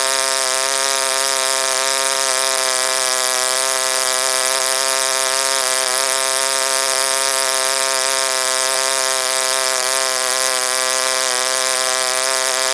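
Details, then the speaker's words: OS Wankel rotary on 5% Omega fuel with extra castor and a 10x4 APC prop, run after cooling from overheating: high buzzing scream is fairly steady but sags now and then, not holding top rpm. "I wasn't really trying to get peak readings I'm just trying to figure out why the engine doesn't hold a high throttle or high rpm"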